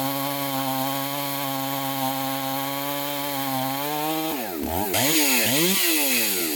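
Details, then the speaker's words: Chainsaw after bench repair, test cuts, seemingly mild port job: crisp steady high scream at full throttle dipping and recovering smoothly through each cut; pulls strongly, best running saw, may need fine tuning or less aggressive chain. "i am so stoked right now this saw is probably the best running saw that i have"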